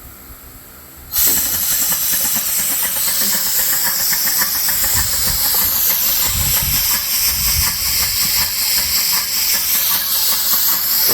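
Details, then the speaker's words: Dake square-piston steam engine, four power strokes per revolution, with reversing valve driving a capstan, run on compressed air; fast, even hiss with steady chuffing about two to three exhausts a second, like a Model T. Normal running. "So, this one sounds pretty much like a Model T or something. We can go ahead and speed it up."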